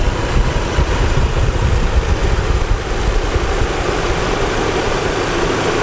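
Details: 1987 Nissan 300ZX 3.0 V6 idling, heard under the hood; steady, even low rumble with no knocks or misses, idling smoothly and sounding healthy.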